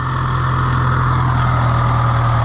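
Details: International IH 584 diesel tractor after clearing trash from the fuel line's 90-degree elbow: steady, even diesel clatter at low idle, no stumbles or misses; normal healthy idle.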